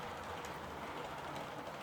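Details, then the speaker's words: New model Class 66 locomotive entering shed: quiet steady buzzing rumble from small electric motor with coarse gritty edge; noisy, not the smoothest runner, but runs all right. "so my new 66 is just coming into shop now and as you can see she's a bit on the noisy side not you know"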